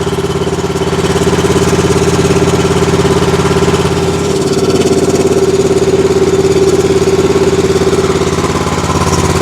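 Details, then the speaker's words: Exmark zero-turn mower with Kawasaki twin: steady lumpy idle at about 150 beats a minute, unchanged when one plug wire is pulled, so that cylinder is dead; a bad spark plug was found, plus a sticking choke. "y'all hear it she's only running on one cylinder I know it's hard to hear"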